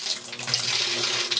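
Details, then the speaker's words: Home septic system effluent pump after debris was power-washed from around it, float lifted: steady rushing water with no knocking or straining as the pump draws the tank level down; normal pumping. "when i let that float up the pump operates you might even see the level in the tank going down there"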